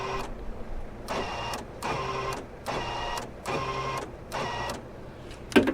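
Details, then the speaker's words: 1997-01 Jeep XJ electric door locks, tested with the key fob receiver: five short, weak buzzing lock pulses; one door lock actuator not working, possibly a stripped gear or dead motor. "So this lock solenoid is not working."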